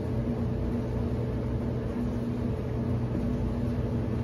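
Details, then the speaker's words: Whirlpool Cabrio WTW7300DW0 dryer after rebuild with new thermostat, idler pulley, drive belt, rollers and another part: a steady, even drum rumble with a smooth blower hum and no knocks or scrapes, warm air and good airflow; the dryer runs normally. "o do this right here and we're going to press start it sounds great runs great sounds real smooth"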